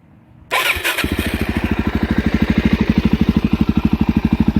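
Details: Suzuki DRZ400SM single-cylinder supermoto with newly installed Yoshimura RS2 full exhaust, not yet broken in: starts on first crank, then crisp, even thump around thirteen beats a second; healthy idle, loud exhaust.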